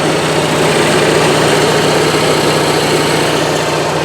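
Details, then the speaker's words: Onan Marquis 5500 RV generator (1998 Bounder motorhome, 20+ years old, 60 hours) after carburetor rebuild, running on gas from a can as it won't draw from the tank, automatic choke opening; smooth even constant-speed drone, no misses, knocks or surging; normal running. "Of course, it's not pulling the gas from the tank like it should, but it is running now on the gas out of that can."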